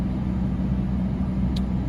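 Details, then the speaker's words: Mercedes W220 S-Class blower motor on max after cabin air filter replacement: steady, even air rush with a low hum, the earlier squeak and whine gone and airflow much stronger. "i'm putting it on max i don't hear that squeak anymore [Music] also it's blowing the air so much better and i can feel it on my feet just over here"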